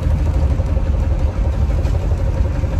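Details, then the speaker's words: Box Chevy after highway drive, smoking heavily and shaking badly: heavy, low rumble with uneven, lumpy pulse at idle; rough running, owner suspects a belt or blown motor, cause unconfirmed. "she started smoking it all types of [ __ ] i was scared to pull over and this was shaking like crazy bro"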